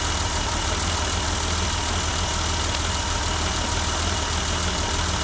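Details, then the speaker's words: 1988 BMW 325i inline-six idling after six years parked, just after replacing the locked-up fuel pump; loud but even idle with steady low hum, no stumbles or ticking; smooth and healthy. "Wow, that's the first time this has ran by itself. You know, other than me pouring some gas into the intake just to see if it worked. And by itself since 6 years now. It's been 6 years. Wow, that sounds smooth."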